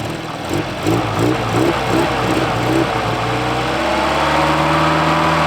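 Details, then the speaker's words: 1984 Volvo 240, sat for years in the ground, started once the unplugged ignition was connected: it settles and revs up smoothly with even pitch and no knocks or misses, running cleanly. "just purring like a kitten I can't believe it with the exception of the rig this thing runs better than any other vehicle I currently own"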